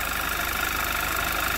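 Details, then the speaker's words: 2011 Audi TT Quattro 2.0 TFSI, first run after engine damage repair: even, smooth idle with a thin steady high-pitched whine on top, which the owner thinks is just the fuel pump; no check engine light, slight hiccup. "I don't know. It's a weird noise. I think that noise is just the fuel pump."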